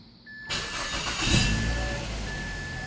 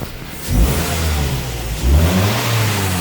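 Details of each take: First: 2004 Mazda 3 2.3 L naturally aspirated petrol, start after MAF sensor cleaning for code P2188 (running rich) and battery reconnection: short crank, clean catch, smooth even idle over a faint chime; check engine light went off. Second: 2004 Mazda 3s, 2.3 L naturally aspirated, code P2188 running rich: repeated revs from idle with a rough, burbling exhaust note; owner suspects unburnt fuel from a faulty aftermarket mass airflow sensor, before cleaning.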